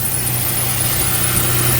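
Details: Car just refilled with Pennzoil ATF and other fluids, engine started: thin steady high squeal over the idle rumble; owner places it at the front, where leaks and coolant are seen and a transmission cooler is needed. Source not confirmed.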